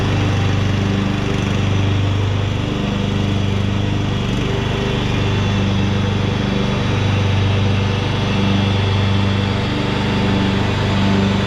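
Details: 2014 Ariens (Husqvarna) 42-inch-cut riding mower, revived from scrapyard parts machine, mowing under cutting load: steady, even low drone with smooth regular beat, no knocks or misses; running healthy, only needs a couple of small things.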